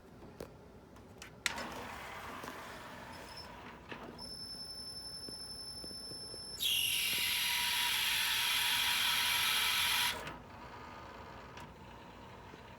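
A quiet hum breaks into a loud, harsh hiss lasting about four seconds before dropping away; the changer mechanism is noisy, cause unknown.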